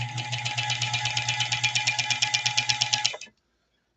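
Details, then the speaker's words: Sewing machine, some stages not working, run before oiling: fast even clatter about seven stitches a second with thin high rattle and steady whine, very dry; dry unlubricated mechanism, later oiled with sewing machine oil. "That's real dry. I'm reluctant to run it too far because it's very dry."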